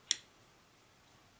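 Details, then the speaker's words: 2005 Chevy Trailblazer wiper module (wipers stuck on despite new switch and motor) on intermittent setting: single crisp relay click per wiper cycle, then quiet; normal relay click. "so now we're an intermittent setting wipers make a cycle you hear the really click another cycle click click zero"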